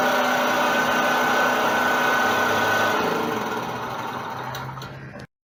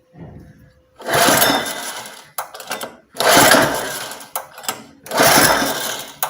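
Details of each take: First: Honda four-stroke engine on a commercial pressure washer that would not start, run after valve clearance adjustment (decompressor) with fuel valve and choke open: small single-cylinder buzz at a steady even pace, no misfires, then cut off cleanly; running properly. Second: Honda 4-stroke engine on commercial pressure washer, cold, choke tried closed, open and middle: four hard recoil pulls, engine spins briefly but never fires; cranks no start, suspected valve clearance issue with decompressor.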